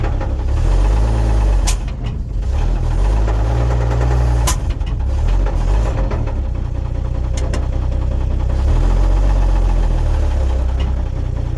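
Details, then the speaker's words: 1950 Chevrolet 3800 one-ton truck, abandoned since 1977, idling with a deep, uneven knock about four per second under the idle rumble; owner suspects earlier owners filed or ground the rods to stretch its life, worn rod bearings knocking: rod knock. "so they probably took an angle grinder to the rods and just anything they could to get every last little bit of life out of that engine and now we know why it was parked"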